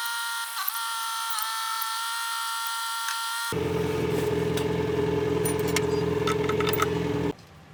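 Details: Jingong 30 single-cylinder engine after overhaul for abnormal noise (a broken piston found earlier): after a brief tonal stretch, a steady thump about three and a half beats a second settles into an even, healthy idle.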